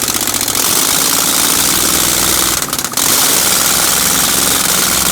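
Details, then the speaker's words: Chevy 307 small-block V8 in a 1965 C10, first start in 20+ years, no exhaust manifolds fitted: loud, ragged, uneven cracking from open ports with no steady rhythm; rough idle because ignition timing was wrong, later fixed. "And there was a little bit of mistakes going on, but we got it fixed. Timing wasn't right, as you can see, but we fixed that."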